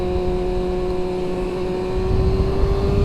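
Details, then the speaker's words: 2000 Yamaha R1 (5JJ) with carburetors, test ride under hard acceleration in second gear: engine pulls hard with steady climbing note, no rev flare; transmission holds second gear without popping out. "Okay, good to know that it's not gonna pop out of second gear. So second gear is good."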